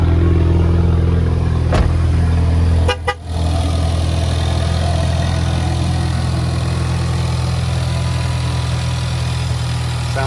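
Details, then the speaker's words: Engine idling after spark plug replacement and a broken spark plug removal, warming up with oil temperature being checked: steady low hum settling to an even idle, with turbo whistle noted; sounds healthy. "I love that turbo whistle"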